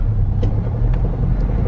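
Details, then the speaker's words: 1990 Ford Ranger manual pulling in first gear: deep coarse tractor-like loud drone under load, with rattles; exhaust suspected worn or leaking, new exhaust planned. "it sounds like a tractor like actually yeah that's so weird"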